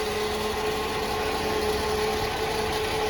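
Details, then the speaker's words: Nissan D21 Hardbody pickup idling after a jump-box start: a constant thin whine sits over the engine note. The noise came back and its source is unknown. Unidentified noise. "This is the sound. It came back. That sound that it was making, don't know what the hell it is."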